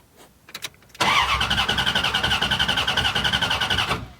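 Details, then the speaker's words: First key-turn after installing computer and fuel pump wiring and fixing two fuel leaks; starter churns about three and a half beats a second for three seconds, engine never catches; fuel pump not heard running, owner suspects bad relay. "Oh, you know what? I'm not hearing the fuel pump's not going. And that relay looks like it sucks."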